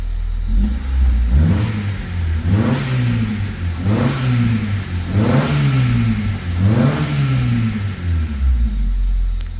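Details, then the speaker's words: Honda Civic EG3 with Mini-me VTEC head swap and P28 ECU on a stock map, freshly revived after sitting: repeated throttle blips rising and falling cleanly with a deep even note, no misfire or knock; runs smooth, normal revving. "But at least the engine started. It runs smooth, thankfully."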